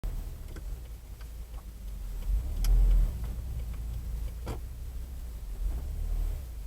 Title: clunk sound boosted 1